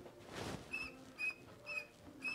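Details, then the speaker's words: Distributor pulled from truck (cam data out of spec) turned by hand: dry, high chirping squeak from old rust inside; rotor mount shaft bent, possibly pried during removal; distributor no good. "could hear that it's it's definitely making noise there's old rust inside this distributor is no good just for that alone"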